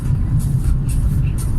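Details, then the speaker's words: VAZ 2114 petrol engine on a frosty −4 °C day, clutch pressed after driving in fourth gear: a steady, even note holds at about 1500 rpm and won't settle to normal idle. Owner suspects a dirty idle air control valve and plans to clean it. "смотрите короче бензин расходуется впустую полторы тысячи оборотов на холостые не выходит"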